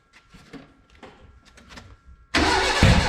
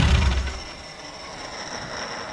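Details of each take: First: Renault 5 GT Turbo, first start: quiet clicking, then loud cranking that sputters without running. The trigger first-tooth angle was set to 80 instead of 50, so it won't start. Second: Renault 5 GT Turbo engine in a van, first start after injector, base idle and parameter setup: engine shuts off with a brief rumble, then a thin high whistle fades as the turbo spools down normally.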